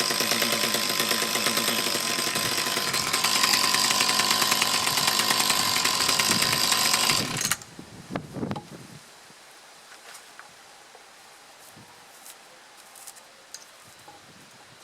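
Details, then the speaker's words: Mantis tiller with two-stroke Kioritz Echo engine, after cleaning around carburetor and fuel lines and final tune; buzzes at a steady, even speed about seven seconds then shuts off, running cleanly with idle settled. "all right so it doesn't block down on the acceleration anymore though the idle is not quite right"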